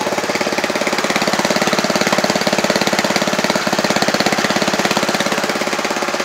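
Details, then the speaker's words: DIY 12V DC generator built from a genuine Honda GX160 petrol engine driving a DC motor, started on choke with the governor set to about 1000 rpm: slow, even single-cylinder thumping at a steady speed, no misses or hunting. Normal slow governed running. "this engine is set to about 1,000 rpm so it's running much slower that means it's using a lot less gasoline or petrol and it's also making a lot less noise"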